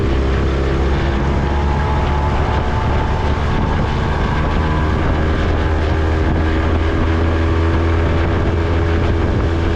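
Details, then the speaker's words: Honda 20 hp four-stroke outboard, restored after being seized, running on the water: low, steady, even drone under heavy wind noise, no knocks or misses; very quiet, running normally. "I mean, this four-stroke is so damn quiet. Barely hear the thing running."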